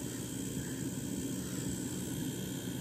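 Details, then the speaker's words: Mint-in-box 1997 GPX TVP9 B&W TV/AM/FM/cassette recording TV audio onto cassette. A steady low droning buzz sits under it while text is on screen: the vertical oscillator leaking into the recording. "tv recording is picking up the vertical oscillator you can hear it buzzing when text is on the screen"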